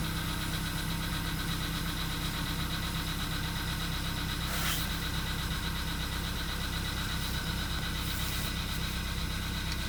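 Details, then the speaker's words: VW Polo Sedan (CFNA), 102,239 km, cold start at −2.5 °C, not-fresh oil: steady cold idle with a faint, irregular light knocking over the engine hum, knock persisting about two minutes, cause unknown. "Так, почти вторая минута проходит уже. 2 минуты стучит."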